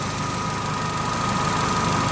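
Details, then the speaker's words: Vauxhall Meriva with an A/C low side pressure sensor circuit fault (B3933), engine idling; compressor clutch engaged and turning with a steady whir and faint even tone: AC compressor running normally. "It might go off in a minute now. But it is on at the moment because the fan was spinning. Clutch is going around."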